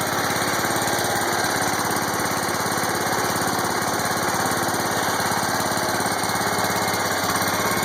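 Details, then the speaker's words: John Deere 140 hydrostatic mower, warm start after 15 minutes idling, in neutral, after fixing creep caused by pressing on the check valves: even, steady engine beat with no knocks, squeals or grinding; normal running. "So far so good. It's in neutral. No funny noises. That's always a good thing."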